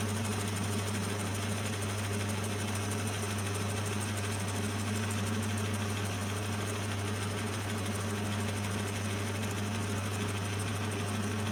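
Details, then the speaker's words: Lathe with a homemade milling jig machining angle. A steady low drone with a rapid rattling chatter as the cutter strikes an old bolt stuck in the workpiece: an interrupted cut. "There's actually, that noise you can hear, there's an old bolt stuck in there, so I'm just machining that off as well."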